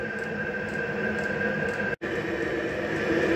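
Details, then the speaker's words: Diesel air heater in a cabin, restarted after sitting cold and wet over a year, warming up; steady even roar with constant whistle-like tone, no misfire or surging, sounds like a jet engine; running normally. "Well, it sounds like a jet engine taking off. Which is exactly what it should sound like"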